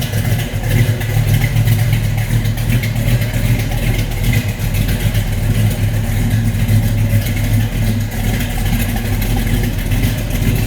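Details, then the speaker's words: 1967 Chevrolet Chevelle SS with a 396 big-block V8 and 4-speed at idle and revving. Deep, lumpy but steady rumble that swells cleanly on revs, with no knocks or ticks; a healthy V8. "This car absolutely sounds as good as it looks. Just screams muscle car."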